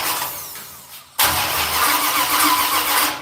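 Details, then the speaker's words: Engine turns over with a strained, labored crank before catching and running rough. The timing light won't line up on the timing marks; mistimed ignition is suspected, not confirmed. "No, it's just cranking too hard. And bring it back. Something wrong. Something ain't right."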